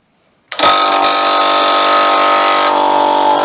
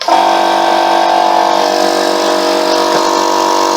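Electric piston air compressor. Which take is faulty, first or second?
first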